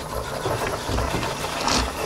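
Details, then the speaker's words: De'Longhi Dynamica FEB 3515.B steam wand, machine hot, frothing milk; steady hissing roar with soft bubbling and gurgling; steam wand working normally. "alors la technique après c'est de faire briller le lait je fais tomber le lait au fond la mousse remonte"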